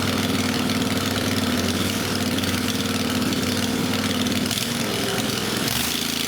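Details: Country Clipper Boss SR1200 zero-turn mower, freshly refilled with gas, oil and coolant, muffler removed to check for coolant leaking into the system: fires and runs with an uneven, lumpy beat and wavering note; rough running.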